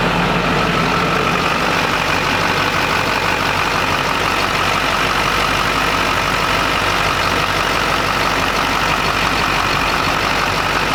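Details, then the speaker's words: 20-year-old Duramax diesel pickup, recently new injectors, cooling system just opened and topped off, sat a while; constant idle clatter with a faint steady whistle, no knocks or surging, no boost leaks heard; normal idle. "all right well it goes into boost okay now bad I don't hear any weird whistles or boost leaks"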